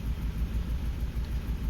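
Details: Suzuki Grand Vitara with rough running and no stored fault codes; scan shows short-term fuel trim 14–17% and MAP 45 with vacuum okay. Low idle rumble lurches and dips unevenly, misfiring from one cylinder with no compression found by compression test.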